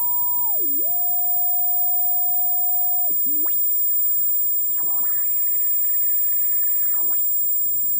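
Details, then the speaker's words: WW2 German military radio powered by a switching power supply, 1 microvolt test signal: constant high-pitched whine over hiss with swooping tones and noise across dial; switching supply interference, 0.6 V ripple. "as we hear there is a constant high frequency beeping sound there and then there is noise on some frequencies that's the power we hear here"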